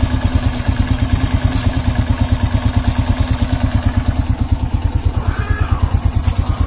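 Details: Honda C100 single-cylinder with rough engine noise and sluggish pickup: steady fast coarse thumping at constant engine speed with gritty edge; cause not confirmed, cam chain and clutch under inspection.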